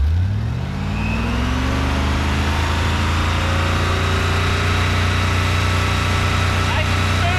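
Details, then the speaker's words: 1955 Ford pickup with 1965 Ford 289 4-barrel V8 (225 HP), four-speed top loader, warmed up after valve readjustment: revs fall back to a steady even idle, all eight firing, oil pressure about 40 psi idle, 55 revving; slight blow-by remains. "oil pressure bounces up to about 55 pounds when we uh rev it up so it's good it's hitting on all eight now correctly"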